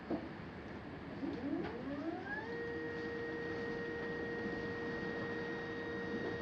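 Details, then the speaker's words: Astro-Physics Mach2 equatorial mount, right ascension axis after a belt adjustment, slewing at 1800 from park 1 to park 5: a soft whirr rises smoothly and holds a steady tone. The earlier vibration noise is gone, with no knocks or grinding. "five there it is guys no noise whatever that was i have no idea it didn't do it"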